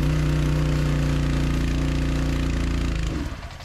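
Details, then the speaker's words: V8 with a lumpy, uneven beat for about three seconds, then sags and dies; engine stalled from fuel starvation, ran out of gas. "piece of [ __ ] great out of gas great"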